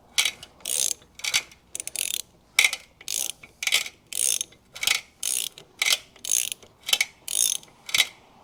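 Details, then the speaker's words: 1975 Kawasaki KE125 two-stroke, 1,670.7 miles, long-sitting seized engine freed with penetrating oil and turned over by hand: slow uneven crunching, grinding clicks about two per second, suspected in the bottom end, unconfirmed. "Oh, it's a little crunchy. I'm not sure what that is. That's not supposed to be there. That's in the bottom end maybe."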